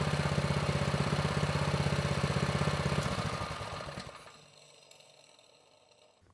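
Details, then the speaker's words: Vintage Manco Streaker mini bike, repowered with a Predator 212 6.5 hp engine, unrun for years; drive disconnected, idle adjusted. Even, steady single-cylinder thump with no misses or knocks, then a clean shutdown coasting to a stop; running well. "I think we're looking pretty good. The engine, it's running well. It sounds good."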